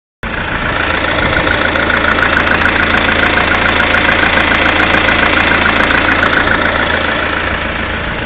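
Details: Lada Kalina 1.6 16-valve with 2,100 on the clock: a fairly regular light knock, a couple of beats per second, over a steady idle; engine knock at idle, cause unknown.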